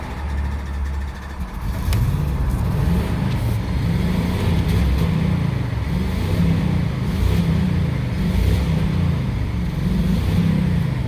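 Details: 2006 Jeep Commander 4.7L, smoking heavily, slow to start, engine computer already replaced: engine catches after a stall and is blipped repeatedly, revs rising and falling unevenly and rough; misfire, P0300 multiple-cylinder misfire, no RPM reading.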